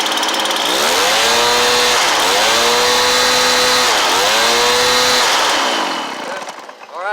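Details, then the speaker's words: Stihl BR430 blower after replacement carburetor install and about an eighth-turn high idle adjustment, air filter refitted: revs up and holds cleanly through several throttle blips, returning smoothly before shutdown; judged good to go; normal running. "I'd say she's good to go"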